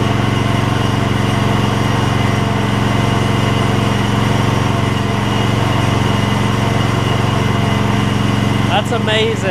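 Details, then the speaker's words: Gravely 16 Professional walk-behind mower after sitting a while, fuel pumped up to carburettor and a little carb adjustment: steady, even engine note, smooth unbroken beat, no knocks or misses; runs like a top. "we're gonna put it out here say the PTO will work that thing runs like a top that's amazing just a little carb adjustment work"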